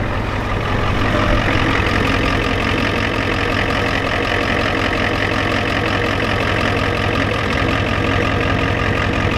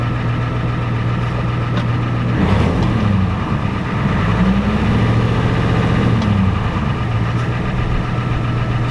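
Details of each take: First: Ford F-250 7.3 IDI diesel idling, has a fuel leak and may smoke: loud clatter about four beats a second, slightly uneven; possible stumble, cause unconfirmed. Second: Ford F-250 7.3 IDI diesel with diesel treatment added, transmission suspected bad in reverse: deep, even idle with a steady low rumble and a brief rev midway; runs smooth and sounds good.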